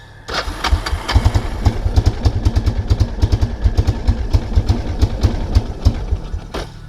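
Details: 1999 Kawasaki Prairie 300 ATV, single cylinder, on trail with gas cap removed for venting: catches and chugs unevenly, pulses stumbling and fading until it dies; running rich from a stuck-open carburetor float.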